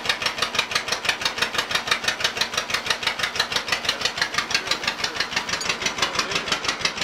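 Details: Cold startup of an old Case RC or John Deere 50 tractor (the John Deere reportedly runs better warm) idling with a slow, even popping beat about three per second; idling cleanly and healthy.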